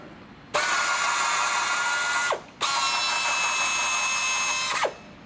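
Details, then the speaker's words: FlexArm tapping arm cutting 1/4-20 threads in plasma-cut holes, moving hole to hole; two steady high motor runs of about two seconds, each ending in a quick reversing whir, no strain; normal tapping operation. "we are going to tap quarter-twenty holes now in plasma cut holes so I'll run this here for it"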